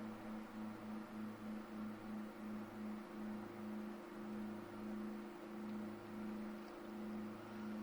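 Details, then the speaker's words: Titan TTC-SC21 campervan roof-window fan in exhaust mode at 60%, pulling warm air out of the camper: steady low motor hum with gentle regular wobble over soft airflow hiss; normal running. "Teraz wyciągają ciepłe powietrze z kampera na [Muzyka] zewnątrz na 60%."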